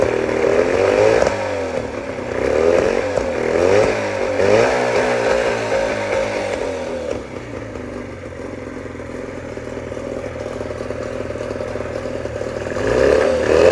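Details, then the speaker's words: 1989 Johnson 40 hp two-stroke outboard surging and sagging every second or two instead of holding steady revs; owner suspects a misfire, not confirmed. "So, that was my 1989 uh Johnson Tracker uh 40 horsepower uh outboard. Um I'm just trying to figure out what's going on. Is that like a misfire or I don't know."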